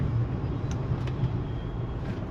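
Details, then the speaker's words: Land Rover LR3 (Discovery 3) with the 4.4 V8 and automatic gearbox, after fixing a faulty brake lamp switch that had caused limited gears and fault codes: a deep, even rumble pulling away smoothly, shifting cleanly with no flare, thump or slip. "it runs beautiful have a look at that let's see if it'll accelerate as well"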